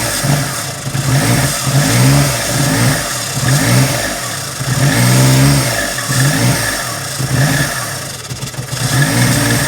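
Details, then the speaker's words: 1987 Daihatsu Charade GTti 3-cylinder turbo, sat 10 years: uneven running with revs surging and sagging, kept alive only by Easy Start sprayed into the throttle. The fuel smells, and stale fuel is suspected; draining it is planned. "It runs on Easy Start. It does. So we must have a stale fuel. I reckon stale fuel."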